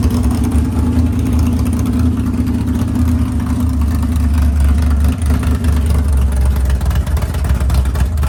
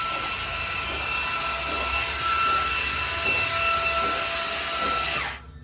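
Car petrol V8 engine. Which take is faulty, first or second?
second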